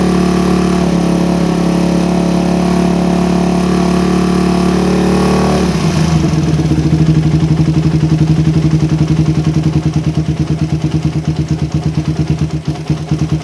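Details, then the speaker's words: Suzuki Satria FU, standard daily bike, fitted with new PE 28 carburetor: revving settles into a lumpy idle whose beat wavers and sags. Air screw set for highest RPM at one turn; idle still slightly unstable. "nah setelanya udah dapat guys tapi idalnya masih agak kurang stabil sedikit ya karena ini setel angin untuk mencari raungan RPM tertinggi guys"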